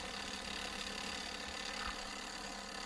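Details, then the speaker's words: SJRC F22S drone after about 8 months of heavy use, with camera jello: a steady thin buzz and vibration from the gimbal that stops when touched. The front gimbal motor is suspected faulty and will be replaced; not confirmed. "Ya, ada suara dan ini bergetar guys. Ini ya. Nah ini bergetar, kalau misalnya kita sentuh dia akan berhenti ya."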